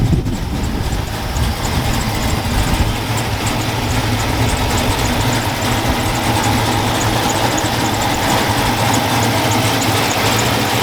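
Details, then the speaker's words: Loud, steady, even idle with no misses after start, following misfire fix and front suspension replacement; no check engine light, oil pressure good, all gauges working. "hopefully i can hear because it's pretty loud oil pressure is good all my gauges work like i said that sounds pretty badass"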